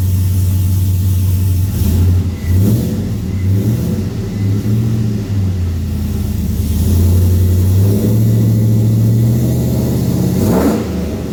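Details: 2003 Chevrolet Silverado (GMT800, short bed) after Speed Engineering headers and full exhaust install, with extra clearance made to stop rattles, throttle blips: deep V8 rumble rising and falling cleanly, no rattles or buzzing. Normal exhaust note when revving.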